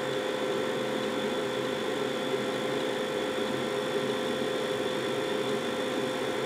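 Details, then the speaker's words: Carrier 92% efficient condensing natural gas furnace, first floor, two zones: burners lighting at start-up, a loud steady flame roar with a constant low hum, smooth and unbroken, before the blower comes on; normal burner ignition. "you see what I mean very very loud burners okay and I think the blower just turned on"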